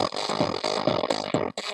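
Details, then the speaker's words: Phoenix Gold ZX475TI car amplifier under repair: music comes through harsh and clipped with choppy, fuzzy peaks on every beat; one channel distorts (saturated) while the other channel works, fault not yet found. "donc on entend bien que c'est saturé que le son est saturé de ce côté on entend bien que le son est saturé de ce côté dé la caméra"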